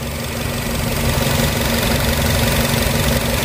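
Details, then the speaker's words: Used petrol car checked before purchase, engine idling after start: even, steady idle with a regular beat, no misses, knocks or stumbles; rhythm stays consistent, sounding healthy, normal idle. "Aman alhamdulillah aman suaranya juga masih iramanya masih pas seperti itu seperti itu aja"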